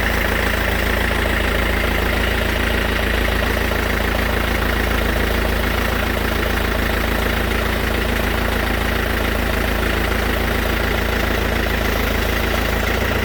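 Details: Mercedes S212 E 220 CDI diesel at steady idle with a regular clacking about three and a half times a second on top; source of the clatter unknown.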